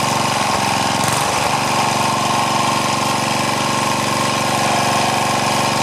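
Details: Craftsman four-stroke edger, Tecumseh engine, after moving governor linkage to correct hole, choke on, throttle under halfway: brief catch then steady even buzz at constant speed, governor holding revs; normal running.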